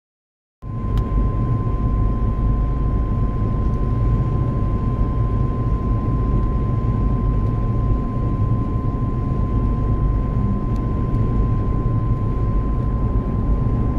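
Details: Car cruising at about 70 km/h: a steady high whine over heavy road rumble while driving; the dealer couldn't hear it.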